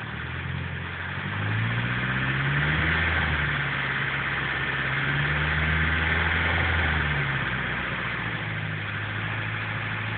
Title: Misfiring Idle on S14